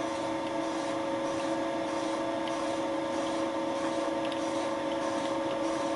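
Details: Light boring cut with Wohlhaupter UPA5 facing/boring head on a Thiel Duplex 158 mill, re-boring a melted plastic lawn mower bearing seat; fixed diameter, quill auto feed 0.12 mm/rev; steady even spindle hum, no chatter or squeal: normal boring cut.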